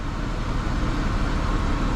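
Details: 2011 Chevy Traverse after replacing the alternator with a new unit and the belt, engine running: smooth, steady low hum with no squeal, chirp or bearing growl from the belt area; accessory drive healthy.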